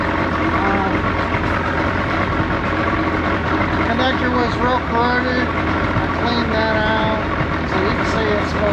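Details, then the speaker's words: Johnson outboard after the ignition switch was replaced in a water-damaged Power Shift II remote fried by reversed battery cables. Steady, smooth low idle with no misses or knocks; it runs good. Tank problem noted; the VRO pump will eventually need replacing. "the VRO is kind of expensive, but it'll start it. Yeah, it just runs good."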